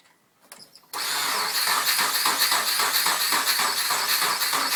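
Starter grinds the engine over at a steady rhythm, roughly nearly four beats a second, with no firing at all: cranks but won't start.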